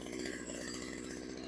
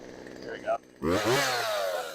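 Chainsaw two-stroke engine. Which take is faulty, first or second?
first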